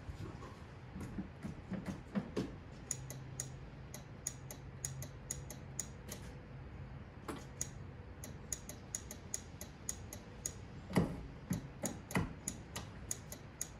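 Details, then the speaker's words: 1976 Lincoln Continental 460 big-block V8 with 41,000 original miles: sharp, dry, unevenly spaced clicks with no cranking; the starter seems to click but not engage. Owner thinks it is not kicking in, then finds the car was not in park. "so yeah you knew i couldn't get that lucky so i'm gonna smack on the starter a little bit it feels like it's not kicking in"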